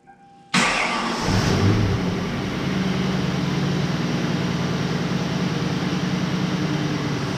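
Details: Grand Marquis 4.6 V8 after rebuild and 5-speed manual swap, first start; cranks briefly, catches cleanly and settles into steady even idle with no knocks or misses; normal idle.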